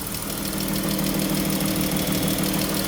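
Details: Jeep Grand Cherokee 3.6 Pentastar V6 at idle, over 100,000 miles: steady light tick about three a second over engine hum; bank 2 suspected but hard to locate, both valve covers to be pulled, unconfirmed.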